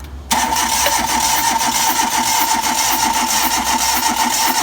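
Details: Hyundai Click with a cylinder 2 misfire, during a compression test: the starter kicks in with a steady whine and an even chug of compression strokes; low compression suspected on cylinder 2.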